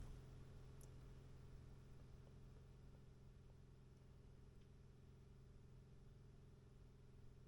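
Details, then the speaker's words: Newly installed auxiliary condensate pump for GE Clearview window AC, fitted after the original pump apparently failed and soaked the carpet, pumping out a quart of water: faint, even low hum, barely audible, no knocks or rattles; running normally. "And you can barely hear that thing running."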